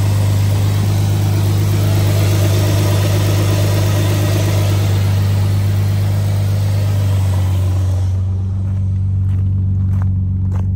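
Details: 2007 Dodge Magnum 3.5 V6 at a steady, even idle with a deep constant hum, no stumble or skipped beats, after replacing the cracked spark plug that caused a cold-start cylinder 3 misfire (P0303); misfire gone.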